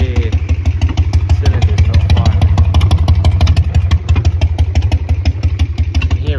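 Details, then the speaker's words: 2001 Harley-Davidson Sportster 1200 Evo idling unevenly, lumpy loping beat with missing power pulses; only one cylinder firing. "This is only firing at one cylinder."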